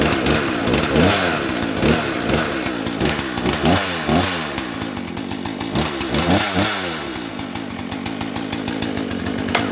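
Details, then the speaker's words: 1984 Dolmar 100 two-stroke chainsaw, sat two months, started on choke after throttle repair; revs rise and fall with crisp clean pickup, no misfire, sounds like a little dirt bike; normal running. "this one sounds like a little dirt bike when this one goes"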